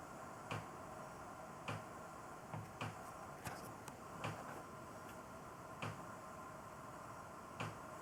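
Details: Sharp, irregular knocks from the pipes about once a second while master-bath sink hot water runs; suspected loose, unsupported pipe banging on walls or vent pipe, fixable with pipe hangers or padding. Pipe knocking, cause not confirmed.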